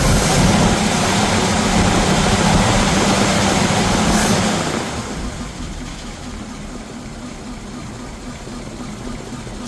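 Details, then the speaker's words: 1951 Ford F1 flathead V8, first start after sitting over 20 years: steady, even idle with a low, regular beat and no knocks or misses; runs sound, though an oil leak was noted. "actually idling. Nice."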